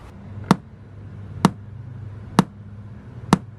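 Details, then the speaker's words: 2004 Toyota Sequoia after aftermarket stereo install, polarity test through the new radio: four sharp, clean pops about a second apart over a quiet hum; each speaker answers evenly, polarity correct. "You hear that popping sound, that means one thing, polarity test."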